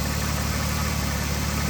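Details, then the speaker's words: 2005 Ford Taurus 3.0L after cleaning check of throttle body and replacing throttle position sensor and mass air flow sensor to cure rough idle: smooth, even low idle with steady beat, no stumbles or misses, no engine light; normal idle. "well the good news is it's started up and there's no engine light so uh it's sounding pretty good"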